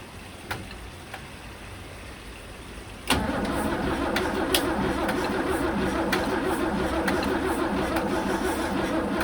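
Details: 1963 Mercedes W111 with mechanical injection pump, injectors ultrasonically cleaned and refitted, cold-start not connected; steady starter churn about three beats a second with no catch; crank no start.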